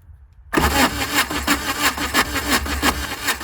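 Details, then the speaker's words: VW diesel-swapped Suzuki Samurai, push-button starter wired in: starter cranks at a steady even rhythm with no firing; no fuel bubbles seen, so injector pump suspected not working, timing unverified; ran a year ago. "I don't see the bubbles coming out of there. So, leads me to believe that the injector pump's not going."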